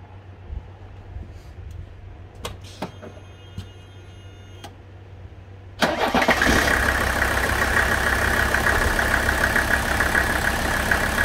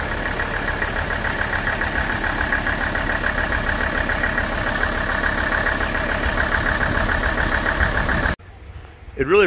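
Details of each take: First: Warm Mercedes OM617 diesel with new high-output injectors, return lines and fuel filter, before a Diesel Purge injector cleaning: fires quickly and settles into a steady, even idle clatter. It runs well. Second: Warmed-up Mercedes OM617 diesel with new injectors, idle raised slightly, before Diesel Purge injector cleaning; steady sharp nailing knock on every firing, which went quiet during the purge; diesel knock at idle, cause not confirmed.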